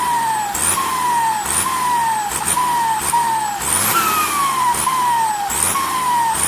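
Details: SK200-3 excavator turbo (AR42): sharp hissing whistle rising with each rev burst about once a second and sliding down; turbo whistling/hissing, cause unknown.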